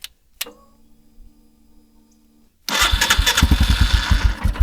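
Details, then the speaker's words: 2021 Royal Enfield Himalayan single after new AGM battery install: starter catches and the engine fires straight up into a lumpy, thumping idle; starts easily and runs normally. "yeah. Sounds like a Hemi. Gonna need a little bath, but we'll give him one."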